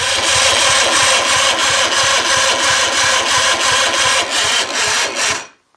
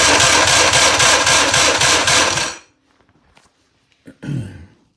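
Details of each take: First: Johnson 50hp Second: 1958/59 Johnson 50 hp "Fat 50" outboard, cranked on a jump pack alone after cleaning the starter during a cylinder 3 compression test: strong, even cranking at about four compression pulses a second for 2.5 seconds; reading rose from 85 to 105 psi.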